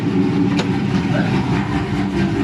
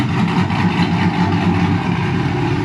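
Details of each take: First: Dodge Charger 6.1 Hemi warming up at 158°F during an overheating and thermostat check, thermostat not yet open. Deep, loud idle with a choppy lope that stays even from beat to beat. Normal cammed idle. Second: Dodge Charger after a thermostat replacement, warming up at about 158°F before the thermostat opens at 180: the idle has an uneven, chopping beat of two or three lumps a second, heard with the hood open.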